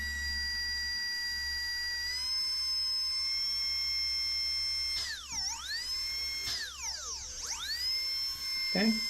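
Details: Dental delivery unit with DCI 6310 foot pedal, handpiece run while adjusting drive pressure, gauge reaching 40: high clean steady whine dipping and recovering smoothly under load; turbine spins freely, normal.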